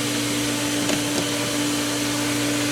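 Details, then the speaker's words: Pool pump in vacuum mode with unused valves such as main drain being shut: steady motor hum under a rushing airy hiss with no solid water load; air in the suction line, pump not primed and may lose prime. "Now, we're going to pull some more air. May maybe Okay, so that didn't work. So, we're going to close the Easter. And that should pull the rest of the air. Might it lose prime? Yes, it's possible."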